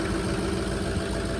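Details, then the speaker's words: 2004 Ford F350 6.0 Powerstroke diesel, 311,000 miles, stock exhaust, started after sitting two weeks. It took a second to fire, with injectors audible at first. Even low rumble with a steady injector tick, no stumble and no smoke. Healthy idle. "You'll be able to hear the injectors at first. So as you can see, it kind of took a second to fire up, which is common."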